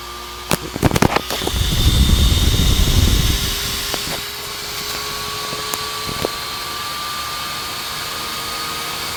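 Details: Dell GX280 desktop gives no POST while the fan races, getting gradually louder to a steady rushing whine at full speed. Cause: not enough heatsink pressure on the left side of the processor.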